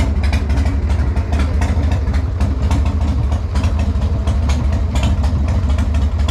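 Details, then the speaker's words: Harley Sportster XLH after years off road, built 15 years ago, after brake and fuel line work: strong loping V-twin idle, steady and even, no misses. "okay so even after a build of 15 years ago this thing still sounds awesome"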